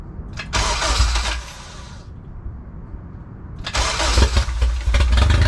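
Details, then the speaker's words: Built Honda K20A2 first start after the build; brief crank, momentary dip, then a loud, steady, even run with no knocks; normal first start. "you know I'm shaking for some reason that is the sound of the new engine guys"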